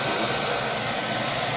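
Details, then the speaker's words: Beckett oil burner after repair of a vibration that shook the smoke pipe, stripped motor-to-pump coupling found: steady even roar from fan and pump with no thumping or shaking; running smoothly. "more that sounds a lot better"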